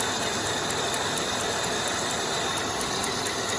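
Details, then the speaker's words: Oldsmobile LSS 3.8L supercharged at idle, steady light clicking about four a second: the previously damaged supercharger drive belt slapping and needing replacement; the serpentine belt is okay, and the tensioner and idler also want replacing. "It's that belt slapping right there. And this belt was damaged from before, and it's gonna need a new belt."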